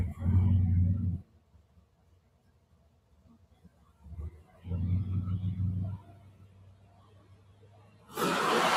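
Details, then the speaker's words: Limo at idle, idling poorly and stalling from loss of voltage (suspected not charging, running off battery), with an idle air control issue: deep booming rumble in bursts, far too loud despite request for quiet custom exhaust with two resonators and two big mufflers. "you can hear how quiet it isn't uh even though the request was for quiet there are two resonators and two big muslers on there"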